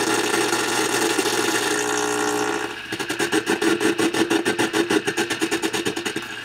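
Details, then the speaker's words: Vintage tube radio receiver after a failed restoration: a buzzing hum with filament buzz, then a pulsing squeal; the oscillation is in the IF section and changes as a probe moves near a glass tube. "So we can see that the oscillation is in the IF section. By me moving the probe closer and further away from this glass tube is actually affecting that oscillation."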